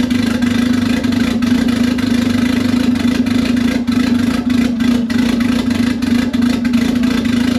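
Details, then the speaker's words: $500 Honda Civic (manual swap, Hondata) after a budget T04E turbo install, first start with an open upward downpipe: the engine catches and settles into a steady, even run with a strong low hum and clean throttle blips, running healthy. "so as you guys seen this thing fired right up I could couldn't be happier it sounds pretty cool and ran pretty decent"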